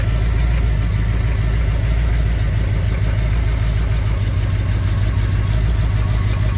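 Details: 400 V8 in a Camaro Z28 idling: a dull, steady low knock tapping through the lumpy idle; rod knock.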